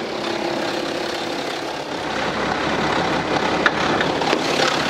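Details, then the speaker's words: 2011 BMW X3 30d (F25) 3.0 diesel, 168,749 km, in for abnormal engine noise, before repair: dense metallic rattle over idle, steady pitch; stretched timing chain, tensioner or chain fault letting the chain slap the guide; chain set needs replacing. "그래서 이제 주변에서 에게 소리를 들어보면 쫙 철학 철학 최악 최악 최악 1 을 출간하여 아 전 영적으로 체인 늘어나서 타이밍 체인 텐셔너 놈 4 문제의 또는 체인의 문제로 채 들어가서 책 가이드 를 주기적으로 친 소음이 나는 거예요"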